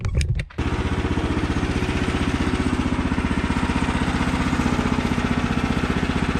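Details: Newly assembled Woodland Mills HM130 Max Woodlander sawmill, 14 hp Kohler engine, at full throttle after throttle cable tensioned properly: steady, even beat of about four pulses a second holding full revs without hunting; normal healthy running.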